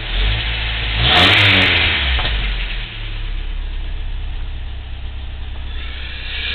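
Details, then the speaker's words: Engine warm after about 1.5–2 minutes on an 85°F day, with new OEM idle air control valve still sticking: short rev blip drops back to a low, even idle near 800 rpm, no misses or ticking; valve adjustment considered. "I just wanted to show it's running about a minute and a half 2 minutes maybe on 85° day down to 800 it'll get down to 750 and do just fine"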